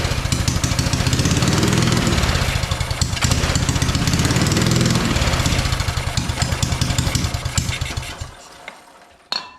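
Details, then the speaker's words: Free mini bike engine with good spark fires only on sprayed brake cleaner: pops and runs unevenly for about eight seconds, then dies, won't run on its own fuel; owner suspects a fuel issue and plans to tune the carburetor. "so it does not want to run on the fuel that is in it clearly it's only running when I give it some brake cleaner here"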